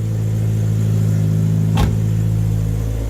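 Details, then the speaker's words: Nissan Silvia S13 after a fuel-system rebuild, running consistently for the first time with apparently full power. A steady, deep, even note held at constant speed with one brief click and no misfire or knock: normal running. "awesome are you done Stan this is the nicest this cars ever sounded it's absolutely amazing"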